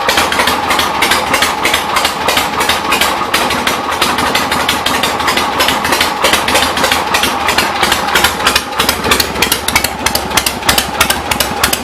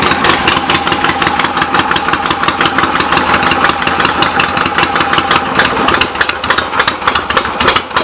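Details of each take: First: 1975 Harley-Davidson XLH Ironhead Sportster V-twin, not quite warmed up, good compression, after transmission trapdoor/clutch repairs: loping, slightly uneven lumpy idle at about three beats a second, still a little smoky; rich idle mixture, carb needs adjusting and accelerator pump needs setting. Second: 1975 Harley XLH Ironhead Sportster V-twin after fixes and new intake gaskets, just started, not fully warm, on the enricher: loose lumpy fast cold idle firing steadily without misses; runs good with real good compression, carb needs slight adjustment.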